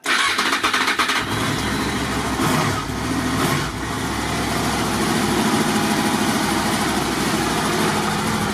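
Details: Motorcycle with about 22,000 miles, started on a very hot day. Starter catches quickly, then a steady, even idle with no knocks or misses. It starts healthy, and charging reads 13.89 V at the battery.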